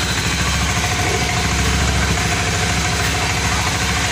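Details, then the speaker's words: Honda Scoopy ESP (fuel-injected automatic) after tank draining/cleaning, idling just after start with fuel pump pressure at 30; steady even putter, no stumbles or surging; considered still normal and stable. "Ini setelah mesin menyala Pak. Ini tekanan berada di angka 30 Pak ya."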